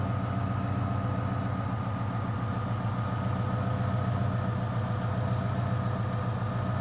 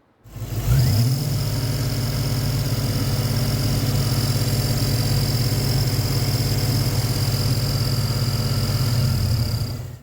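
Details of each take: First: 2000 Ford Explorer XLT 5.0 V8 with a Meziere WP374 electric water pump, after replacing the idler assembly with its cracked retainer plate: steady even idle, smooth low drone, no scraping or knocking from the pump area. Normal idle. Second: A 2000 Ford Explorer 5.0 V8 with a Meziere WP374 electric water pump, recorded before repair while the idler bushing was going bad. The engine runs with a thin, steady high whine over the low hum.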